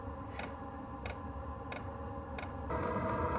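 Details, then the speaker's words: Wippro 8kW all-in-one diesel heater from Temu, new, at first start-up and self-priming, exhaust piped out of the garage: light regular ticks about 1.5 per second as the fuel pump sends fuel, then the fan whirs up; normal priming. "so that's what you hear the ticking right now that's the fuel pump sending fuel into the diesel heater"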